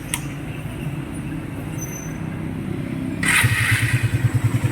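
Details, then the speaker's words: Small motorcycle (R150 tag) after an intake cam replacement with valve clearance set to 0.10: engine fires after a few seconds and settles to a steady, even, very quiet idle with no tappet tick. "Mga kulaog, ayan o, perfect naman ang gawa natin. Gago! Napakatahimik."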